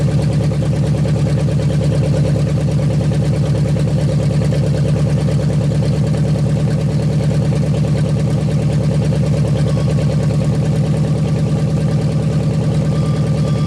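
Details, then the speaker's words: 1956 Studebaker Golden Hawk V8, first start in 50 years, carburetor and mechanical fuel pump working; deep even rumble, steady firing, no knocks or misses throughout; running good, needs a little fine tuning. "so there you go folks running good uh just some little fine tuning to do there but carburetor's doing good fuel pump's doing good"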